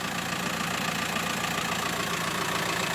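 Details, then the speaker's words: 2008 "Teshka" 1.9 diesel, 75 kW, for sale: started and idling evenly with no extraneous noises, knocks or vibration, a steady diesel clatter with no surges; normal diesel idle. "видите как работает хорошо работает без волнения двигатель без всяких посторонних звуков стуков вибрации вот такой вот автомобиль"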